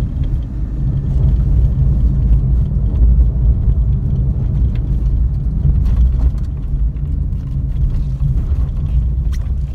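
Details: Suzuki Alto, after replacing the steering rack (play at the rack-side tie rod), which had caused clunks over manholes and bumps, with a rebuilt unit: steady road rumble, no knocking; clunk gone.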